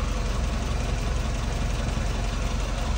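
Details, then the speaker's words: Mazda E1600 Bongo ute after about two minutes adjusting the idle screw, not yet warmed up. Low, slow, steady idle with a soft even beat and no misses. Owner may raise it slightly; no tacho fitted. "and that's idle speed uh I don't have a Tacko in this car but that's pretty slow I might even see if I can lift it a little bit"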